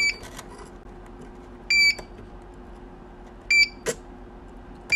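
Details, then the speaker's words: Birch receipt printer with lid shut and paper loaded; high quarter-second beeps repeat about every two seconds; paper sensor faulty, fix is replacing thermal head. "so between the paper center is faulty as you can see the paper center is 40."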